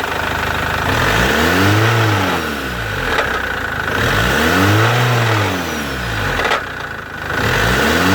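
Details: Captiva 2.2 engine revved up and back down three times, about every three seconds, with a rough, gravelly undertone; source not pinned down. Engine noise.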